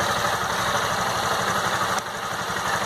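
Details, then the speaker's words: Honda CG Fan 160 single-cylinder motorcycle, warm after a ride, neutral, stock exhaust: even, steady putter about four beats a second with no extra ticking or knocking; owner hears no bothersome engine noise, normal warm idle. "Sinceramente eu não não escuto esse barulho né não tem nada nesse motor que me incomode assim de barulho entendeu"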